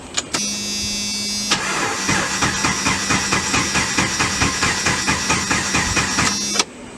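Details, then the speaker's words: 1995 Jeep Wrangler YJ four-cylinder after a used ignition coil was stacked on the old one: the starter cranks steadily at about two compression pulses a second but it never fires; crank, no start, with the coil suspected. "I'm not getting nothing okay guys so against my better judgment I decided to go and get a new coil"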